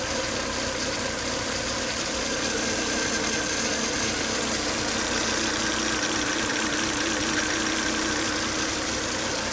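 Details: Volvo S80 2.5T turbo petrol idling: steady whine and hiss starting after 10–20 minutes of running; high intake vacuum strongly sucks air at the oil cap, engine also boils coolant; cause not identified.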